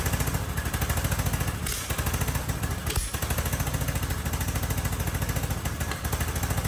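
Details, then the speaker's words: Husqvarna riding mower barn find, believed a 2554, intake manifold and air box removed, brake cleaner sprayed in as starting fluid: fast rough lumpy chuffing about three and a half beats a second, catching only on spray; carburetor gummed up. "All right. Well, that answers that question. That was a lot of work just to find out the carbs gummed up."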